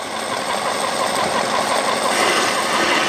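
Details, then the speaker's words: Chemical transfer pump started dry and flushing with water: steady even motor hum with hiss and gurgle as it draws water, priming quickly and running smoothly. "So you can see, it's even though the pump's dry, she's already sucking that water down."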